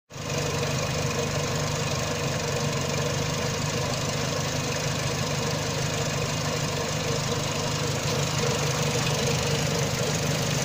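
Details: Renault Megane Mk1 petrol engine when hot, very rough idle, stumbling and shaking with misfire; runs fine cold; short-term fuel trim -50 to -80%, long-term +25%, no codes, power loss; MAP, rear lambda and idle control valve replaced; compression 14.25-14.75 bar.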